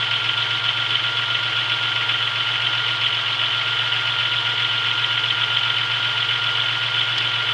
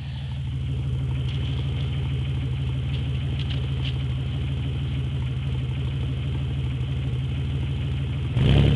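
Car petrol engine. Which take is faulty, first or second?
first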